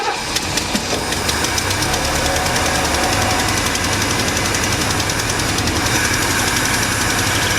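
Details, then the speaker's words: 1976 Mercury Marquis 460 big-block V8 running on starting fluid, choke set, revs held up for high idle: fast slightly uneven idle with busy top-end clatter; it runs but needs parts. "Well, we know it runs and we know we need a bunch of parts."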